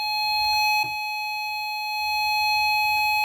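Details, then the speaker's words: Intelbras Conecta PBX with no extension dial tone, probed with a handset capsule as a listening tool at processor terminal 7: clean, steady high beep-like tone without wavering or dropouts; normal clock tone. "Ele vai me mostrar, em forma de sinal audível aqui, aqueles sinais que a gente pegou com o osciloscópio."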